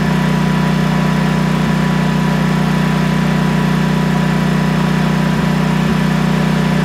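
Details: Briggs & Stratton Vanguard 10,000 W generator, after fuel-supply repair for surging and no-start, refilled with ethanol-free gas: constant even drone, no surging; normal steady running.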